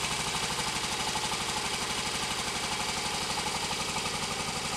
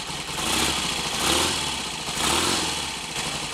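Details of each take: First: Royal Enfield Constellation twin, started cold after standing over the weekend following oil leak repair: uneven, lumpy beat about four pulses a second under a bright clattery top end; running rough, cause not confirmed. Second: Royal Enfield Constellation twin after standing over the weekend, being readied for a road test following an oil leak repair, ignition on full advance: warm, steady, even tick-over with no misses or clatter; sounds healthy.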